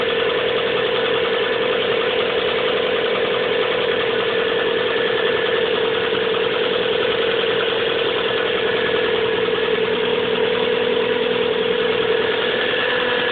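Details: 1997 Subaru Legacy Outback at cold idle: quick uneven knock about three per second under a mid-pitched hum, started in winter and worsening; fades after about 20 minutes of driving, returns briefly at idle; cause unknown.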